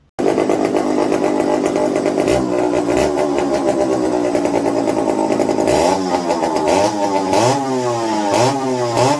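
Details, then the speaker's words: McCulloch 55 gear-drive chainsaw, first run on a new homemade tank wick, fuel starvation issues: ragged idle, uneven rises and dips on throttle blips; fuel dribbled from carb front after turning low-speed needle, owner suspects low-speed side problem. "okay well it wasn't coming out of the carburetor front and now it is and now stop but it only did it after i turned the low speed so i'm thinking there's a problem with the low speed side where it's just dribbling out"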